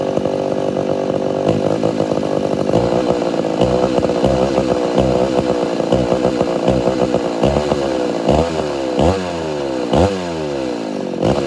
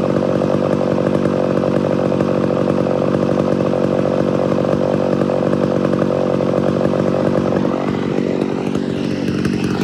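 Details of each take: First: Homelite Super XL-925 82cc vintage two-stroke chainsaw, governor blocked off, dull chain with shallow rakers: revs sweep high, hang and surge off throttle; too lean on low-speed circuit, richened about a quarter turn. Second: Homelite Super XL-925 82cc vintage two-stroke chainsaw, governor blocked off: steady high buzz breaking into burbling four-stroke off the cut; tuned as intended, not four-stroking in a good cut.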